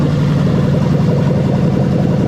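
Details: 1998-2000 Lexus LS400 1UZ-FE VVT-i V8 on test with new rebuilt LHD harness, just started via yellow wire: loud, deep, even burble at steady speed, no ticks or stumbles; fresh engine idling healthy.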